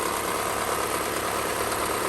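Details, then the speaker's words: 1991 Honda Civic hatchback EF ED6, 302,000 miles, sat nearly a decade, after valve adjustment (valves too tight) and cleaning rust from cylinder one: steady even idle, smooth quiet hum, faint belt whir, no knocks or misses; healthy engine. "it's running good so the next order of business is probably going to be to drop this transmission out and swap it to a five speed but yeah the motor sounds good for sitting that long"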